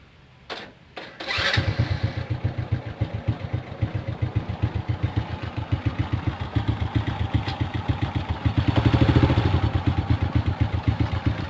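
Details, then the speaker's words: Well-kept Supra motorcycle, not ridden for 2 days, run on Mesran Diesel B40 oil mixed with cooking oil for 3 days: it starts and idles roughly with a fast dry ticking at the camshaft, so rough valvetrain noise; the cooking oil is the suspected cause. "Memang kalau saya hidupkan motor ini setelah 3 hari pemakaian minyak goreng ya, setelah 3 hari pemakaian minyak goreng, itu memang suara motornya kasar teman-teman. Suara motornya kasar, terutama di bagian sini, di bagian apa namanya, noken."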